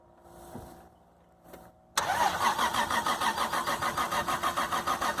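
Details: Toyota Supra single-turbo conversion, 97 anniversary edition, engine swapped, original ECM removed, no MAF or O2 sensors, first start after almost 10 years sitting with years-old fuel: slow steady cranking at about three pulses a second, never catches.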